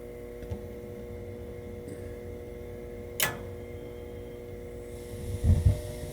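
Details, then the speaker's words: Gas boiler that would not turn on, after replacing the 24-volt glower (hot-surface igniter) with smart valve: quiet hum, a sharp click, then a soft thump and rushing sound as the burner lights normally. "There it goes. Nice. It was this for sure."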